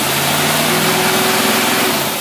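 Steady, even V8 idle with a smooth hum and no stumble or miss; runs healthy.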